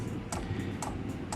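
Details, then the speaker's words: Eberspacher Airtronic D2 diesel heater after a service, start-up with air still in the fuel lines: sharp light ticks every quarter to half second over a low fan rumble; the dosing pump is clicking normally as it starts to burn. "we can hear now the fuel pump working the unit is starting to burn but uh i'm pretty sure it will stop because my my fuel lines are uh my fuel lines are full of air"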